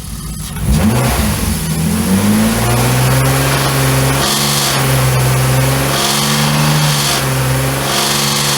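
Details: BMW E34 with freshly rebuilt S52 engine swap and aftermarket 280 camshafts: after a quick rev it settles to idle with a sharp, recurring metallic top-end clatter. Running without accessory belts and changing static cam timing were tried.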